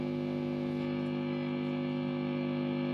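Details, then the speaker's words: Mesa/Boogie Mark IIC+ reissue amp on a variac at about 100 V, Softtech 7025 preamp and 6L6GC power tubes: steady even hum with gain, volume and treble at max, no squeal or howl; no oscillation, the amp is stable. "No oscillation. The amp is good."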